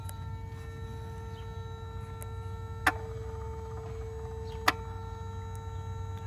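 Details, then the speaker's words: Mercedes S320, engine off and ignition on: steady mid-pitched electric hum with two sharp clicks as the throttle actuator (E-gas) holds position normally, heard before starting the car. "okay shut down the radio so let's listen to the humming noise first"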